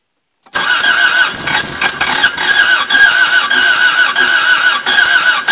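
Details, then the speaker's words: Toyota MR2 AW11 after cleaning injectors and distributor: steady cranking with a couple of uneven catches that never take hold, almost starts but won't run; owner plans to turn the distributor back to retry. "God guys it almost wanted to start there for a second you see that like holy crap so close so close"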